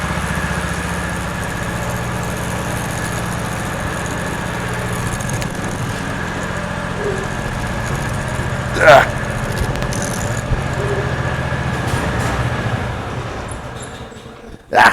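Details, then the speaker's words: 1970s PUG UTV, first start in over 25 years, cold on choke, fuel freshly into carburetor, started first pull: small single engine putters steadily, nothing mechanical out of place; only needs warming up. "it needs to warm up a little bit it literally started first pull that's impressive"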